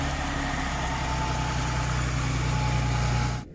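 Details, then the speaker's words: Ford Mondeo ST220 at about 100,000 miles with a K&N air filter, heard from the rear at the exhaust: smooth, steady idle with an even low beat and no knocks or ticks, then cuts off; normal idle. "This is it with the original, the K&N on it, the sound. And it does sound quite nice actually."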